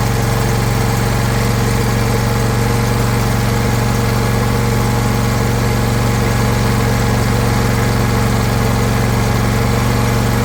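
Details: John Deere LA120 riding mower that had quit starting, on its original battery recharged enough to crank, started with no choke: it holds a steady, even idle with a constant low drone and no stumbling or misses.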